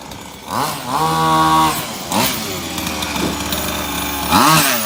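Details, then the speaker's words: Maverick MT nitro RC truck after a broken clutch spring was replaced and the clutch reinstalled: sharp high buzz rising and falling cleanly with each throttle blip, pulling away without stumbles on test drive; fixed and running normally. "there we go beautiful fixed it bad boy back on the road again"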